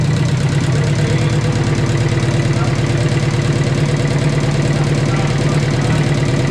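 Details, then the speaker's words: 1944 Ford 2N tractor idling with a leaking carburetor. A regular tapping knock, about three per second, sounds louder on one side of the block. Its source is hard to locate; heavier oil is planned and the cause is unconfirmed. "it is really hard to tell where that noise is coming from"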